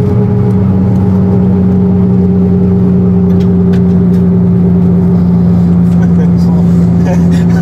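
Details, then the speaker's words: Running car with loud, steady low whine whose pitch sags slightly with speed; differential rebuilt with shims for zero measured preload on the tapered bearings, yet still whines as before. "Et le truc il sifflait à mort. Mais pareil qu'avant en fait."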